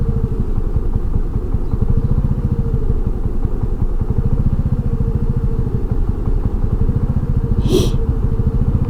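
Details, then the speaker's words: Honda NAVI (NVA110B) at idle: fast, even single-cylinder putter whose speed hunts up and down; owner suspects the carburetor air-fuel mixture needs adjusting or re-jetting, thinks surging usually means lean but it doesn't smell lean. "Yeah, I don't know if you can hear the idle on this thing, just hunting up and down, up and down, up and down. This is terrible. Got to get this air-fuel mixture straightened out."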